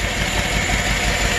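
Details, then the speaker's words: GM truck V8 with AFM/DOD lifters, long-tube headers and cam kit, idling on one bank with the valve cover off: uneven stumbling beat with a dropped pulse; cylinder 3 intake rocker not moving, collapsed lifter causing the misfire. "that would be the intake lifter on cylinder three it's dead so that's the source of the misfire and that's the collapse lifter"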